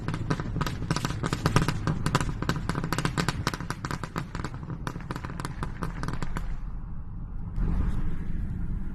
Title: Popping sound?